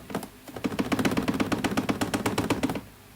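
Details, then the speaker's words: Loud hollow plastic tapping, about seven knocks a second, under moderate to heavy acceleration on a 2017 Ford F150 5.0 with Roush cold air intake: the factory inlet duct, loose with about an 1/8 inch gap, rattles against the air box. "And what that causes things to do is it's sucking air, it's doing its thing, but this rattles like crazy. And the rattle is coming from the piece that goes into here, and it's hitting the plastic of the air box."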